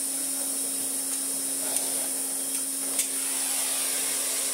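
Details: Restored 1980s Hoover Constellation 867a vacuum with an 80s Miele floor head on a custom adapter gives a steady high motor whine and an even rush of air with no pulsing or rattle; normal running with strong suction.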